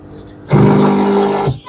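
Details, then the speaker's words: Super General 20 kg top-loading washer on the spin cycle, drum not rotating: steady low mains hum from the motor for about a second; failed motor triac on the main control board, and replacing it fixed the machine. "You can hear the noise. This is from the motor."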